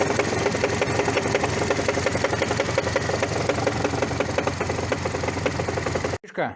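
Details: Toyota 1ZZ-FE engine with a sharp rapid knock about three per second, appearing after brief sharp throttle presses; the cause was a flywheel that broke apart, its centre cracked.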